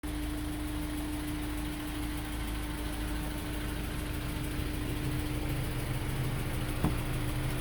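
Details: 2003 Honda S2000 at idle after an AP2 valve retainer swap and multiple valve adjustments: light quick ticking about three per second over smooth hum; persistent top-end tick.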